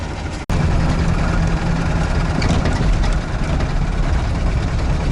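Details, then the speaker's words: UAZ 469 engine while driving home after oil pressure dropped to zero; deep drone with faint steady knock, quieter at low rpm, owner suspects a bearing shell: engine knock with no oil pressure. "так ребят доехал за дом в двигателе что-то бренчит давление 0 да уж дела"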